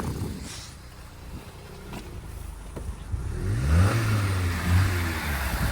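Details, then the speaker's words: Hyundai small car, abandoned non-runner: weak wavering idle rises on full throttle, then sags and dies out, starving and unable to hold revs; no engine lights on, cause undecided. "I'd say that's fixed well no it's not it's dying out again now you accelerating yeah foot on the floor"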